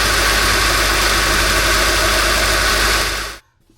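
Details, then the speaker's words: 2013 Honda Accord 2.4L K24 Earth Dreams engine started after replacing the belt tensioner with a Litens 999828A, serpentine belt fairly new; smooth, even idle with no squeal or chirp for about three seconds; normal idle. "Okay, everything sounds good. Everything looks good. I'm going to call this job a success."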